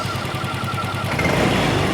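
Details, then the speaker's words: Yamaha Freego scooter with homemade electric hybrid forced induction, the blower run by a black box following the TPS and fitted with an R25 injector: the small engine catches and settles into a smooth, steady idle with no misfires or rattles. "Ketika dihidupkan pun suara mesin halus."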